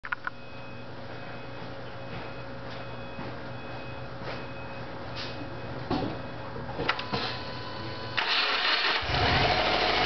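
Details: 2009 Subaru WRX, stock, 2.5 weeks old with 1,251 miles: engine runs with steady knock about three per second under exhaust from spun rod bearing, manufacturing defect repaired under warranty.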